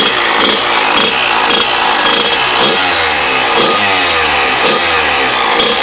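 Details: Kawasaki KX100 two-stroke with freshly rebuilt engine, revving: sharp rattly crackle on top pulsing about once a second; owner suspects power valve, cause not confirmed; abnormal engine noise.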